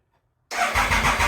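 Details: Triumph Thunderbird after sprag clutch repair, first start attempt as a no-runner at about 45–50°F with fuel on and choke applied: the engine cranks with an even rhythm for about a second but never fires.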